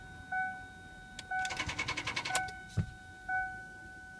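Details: 2002 Ford Explorer 4x4 4.0 V6, won't start overnight: about a second of rapid clicking, roughly ten a second, between warning chimes, engine never turns over; not the battery, and a new starter didn't fix it.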